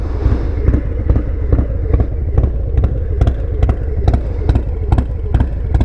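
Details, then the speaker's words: 2020 Harley-Davidson Low Rider S with new S&S 475 chain-drive cam, lifters, pushrods and oil pump, first ride after warm-up, heard from behind: deep uneven loping thumps at slow idle, about two beats a second, lumpy cam idle. "that lope i'm talking about you can hear it back here probably"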